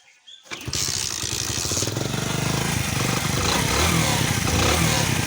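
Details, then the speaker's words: Hero Honda Splendor Plus single-cylinder motorcycle at idle: quick light ticking over the idle thump from loose tappets needing valve clearance setting; tappet noise before valve adjustment. "तो दोस्तों इसमें टेपेट का औजार है मैं आपको सुनाता हूं एक"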